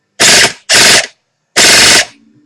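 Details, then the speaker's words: Echo1 M14 EBR/RIS airsoft gun on Echo LiPo, torque gear set (about 19 ratio), ultra piston and stock spring, assembled test fire: three crisp full-auto bursts with fast, even buzzing cycle and clean stops; normal healthy cycling. "that's actually pretty good sounds nice"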